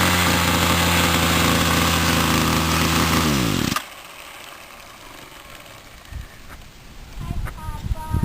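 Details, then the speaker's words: Homelite C26 string trimmer, a two-stroke, after a no-start repair in which the clogged carburetor was cleaned and adjusted and stuck piston rings were freed. It now runs with an even, steady buzz and shows no bogging when the throttle is opened, so the carburetor is set properly. "okay well guys we got it running and you could hit with the trottle up there was no bogging down so this copy rate is set properly"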